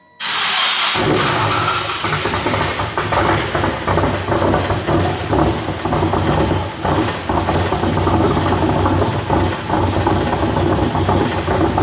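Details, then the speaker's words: Nissan S15 started up after wiring work, running as badly as before, blowing heavy smoke. Rough, uneven, stumbling and popping with no steady beat: misfire traced to a faulty MAP sensor connection. "so you guys can clearly see the car sounds horrible it's just misfiring like crazy it's just throwing all kind of smoke out"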